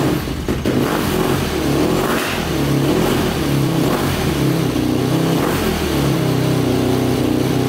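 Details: 2005 Yamaha YFZ450 big-bore quad, first start after rebuild and shifting fix; single thumps steadily and picks up cleanly on each throttle blip, no knocks or rattles, though exhaust pipe glows red hot; normal running and revving.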